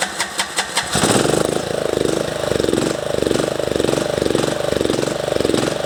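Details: MTD ride-on mower with surging engine, running without air cleaner after carburettor work: a few cranking pulls, then catches and runs unevenly, pitch hunting about twice a second; owner suspects lean air-fuel mixture.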